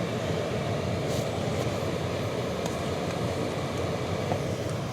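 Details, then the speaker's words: Toyota blower motor after replacement, fan switched on manually with the ignition on. A smooth, constant rush of air with no wobble, rattle or pulsing. The vibration felt before replacement is gone; normal operation. "So the fan is running. I'm not sure if you guys can hear it or not, but there's no vibration, none."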